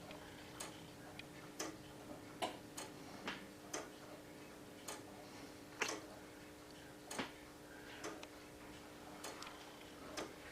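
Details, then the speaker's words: Early Morbier clock with a crown wheel (verge escapement), after the crown wheel teeth were topped: crisp, even ticks, each beat the same strength and spacing as it drops off each pallet; healthy, well-set clock. "And just by listening to it, you can hear that every, when it drops off one paddle and picks up the other, they're all the same."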